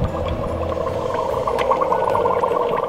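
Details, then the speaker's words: Nissan S13 with 1JZ swap that overheated, after fitting dual Flex-A-Lite fans: irregular bubbling and gurgling over a low engine hum, sounding like the radiator is drowning. "noise it sounds like your radiators drowning so I was like there's a monster in there"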